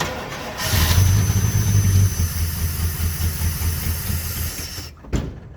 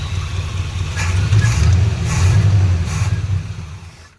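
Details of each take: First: 1980 Chevrolet C30 dually with a 350 small-block carbureted V8, first start using a little fuel poured into the carb: brief crank, catches and runs for a few seconds before dying; normal first start. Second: 1980 Chevrolet C30 dually with 350 small block, first start after sitting, running a few minutes at slow idle; lumpy rumble sags and dies as fuel filter sucks empty, fuel starvation.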